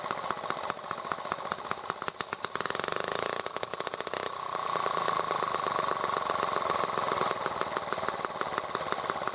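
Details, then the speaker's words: ET8 carb with silver needle turned well toward minus, high-speed knob at factory setting: engine idles a bit faster but thin, ragged popping stumbles and chokes out on quick throttle opening, struggling to pull fuel; lean mixture bogging. "so we adjust it quite a bit toward the minus and you can hear it's leaning the engine up a little bit the engine's running a little bit faster but if i do a quick open it chokes out an awful lot faster than before"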